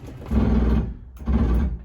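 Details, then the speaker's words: 28DDS travel trailer slide-out room fully extended via wall switch: two short gritty buzzing bursts with low rumble as the slide motor clutch slips/ratchets at full travel, the normal signal that it's tight. "Once it's out all the way, it'll stop moving and you'll hear that ratchet noise. And that's the motor clutch slipping to tell you it's tight."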